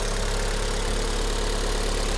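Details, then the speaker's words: 2006 Vauxhall Vectra-C with Z18XER engine, after replacing the PCV valve in the rocker cover, which had caused rev drops, hesitation and a sucking/hissing noise; steady, even low idle with no hunting or hissing: normal idle after repair. "Okay, let's start it up. See what happens. Perfect. No more hunting."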